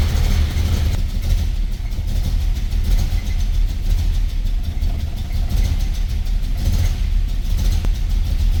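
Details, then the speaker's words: 1978 Dodge Aspen that sat for eight years, idling after its gooey old oil was treated with Marvel Mystery Oil. It is building oil pressure, but the deep idle is lumpy, with firing pulses dropping out. It later ran on all six. "Oh, all right, we're building oil pressure now, but it's still skipping. It's cranking. I mean, even though it's skipping, it's cranking."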